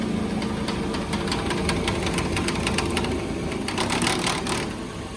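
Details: 2014 Nissan Pathfinder at idle: uneven clanking rattle in quick bursts over steady idle from the broken radiator cooling fan.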